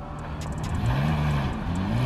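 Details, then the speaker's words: Car rolling past after flux-core MIG welding of the exhaust gasket leak; soft, smooth low hum with no rasp or puffing, exhaust sealed and quiet. "that's quiet car right there look at that it stops on a dime that's awesome Ross"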